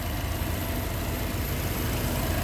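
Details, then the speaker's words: Subaru EJ207 boxer, fully warmed up after a temporary rebuild with available parts: steady, even burble at warm idle with no tapping or knocking; the engine is running normally. "скорее всего за гонялся вроде все нормально звуков посторонних нету на горячего недолго значился погони"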